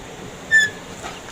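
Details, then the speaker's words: DFM Succe, rear left wheel, noise appears when the handbrake is released: one short sharp high-pitched chirp; rear drum brake squeal. "Ses tam buradan geliyor arkadaşlar abone ol mi Evet arkadan ses geliyor buradan eminiz"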